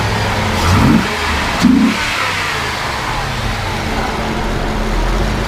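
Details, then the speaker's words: 1994 Corvette ZR1, 405 hp, 6-speed, with AC running: two quick, crisp blips up from steady idle, rising and falling cleanly with no knocks or rattles; healthy normal revving. "You know, it sounds really, really good."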